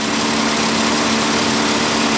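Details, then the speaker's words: Daihatsu Terios at idle with the AC on, after a repair: steady even idle with a low hum and a strong rushing fan whoosh. The fan now runs normally. "kipasnya Mar setelah kita ganti di ini mestinya normalnya kayak gini jadi Sisi begitu AC on dinamo exstrapan ikut muter juga"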